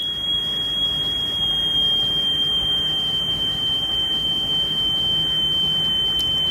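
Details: Sony Walkman (WM-EX102/EX610) after belt replacement, 3 kHz test tape, during speed-screw calibration: a steady high tone near 3 kHz, so speed is still being trimmed. These portable players regulate speed poorly.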